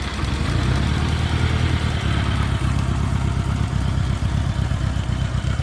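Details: 1986 Honda GL1200 Goldwing flat-four, about 600 miles since acquired, sat an hour at about 60°F, temperature gauge still cold: smooth even low rumble at steady cold idle, no knocks or misses; clicky fuel pump normal; cold-natured, owner plans carb rebuild.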